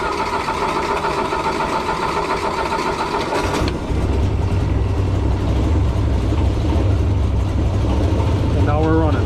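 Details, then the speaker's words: Rail motorcar engine started remotely through an RC car module and resistor block on a 12 V system, on choke in neutral; it settles into a lumpy, uneven idle. Owner says a weak signal sometimes makes it run rough. Finding: rough running engine. "sometimes it's got a weak signal so it runs a little rough"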